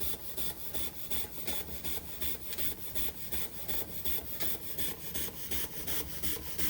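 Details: Josef Falk 456 overtype model steam engine, awaiting finished restoration, run after sitting a couple of months: crisp, regular chuffing about three beats a second with no knocks, running smoothly.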